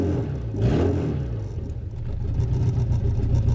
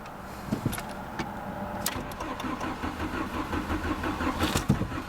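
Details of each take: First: VW Jetta no-start, converter flange bolts undone to release exhaust pressure; catalytic converter suspected full, worsening over time: engine catches and revs freely with steady low drone, no choking; runs once restriction relieved, converter to be replaced. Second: VW Jetta automatic, no start: starter turns engine over in quiet, uneven chug that never fires; no fuel pump prime heard with key on, fuel pump or its relay suspected, not confirmed.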